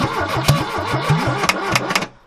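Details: 1969 Ford Capri barn find, choke shut and fuel added to the carburettor: the starter churns evenly with a few sharp pops where it almost catches, then stops; it cranks without starting. Cause not confirmed.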